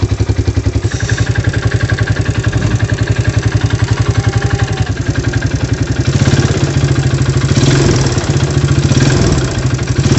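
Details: Yamaha Vega ZR motorcycle engine, complaint of rough sound and white exhaust smoke: rough, uneven clattering idle about four beats a second with harsh low rumble; worn, unevenly worn cylinder and piston, replaced.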